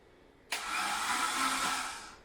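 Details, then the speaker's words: Barn-find Saab 900 16v Turbo, stood 12 years in a dry barn, cranked on a big BMW battery: a smooth, even whirring spin with no knocks or binding, the distributor moving, so it turns over freely. "I can see the Distributors moving around so it's turning over all right then yeah yeah I can hear all the electrics running that's turning over yeah"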